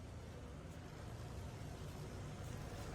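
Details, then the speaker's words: Royal Enfield rear drum brake after fitting a genuine Royal Enfield spring: wheel turns with steady low running and no scrape or squeal. The rear brake is now quiet. "हो गया problem sort out मेरे भाई।"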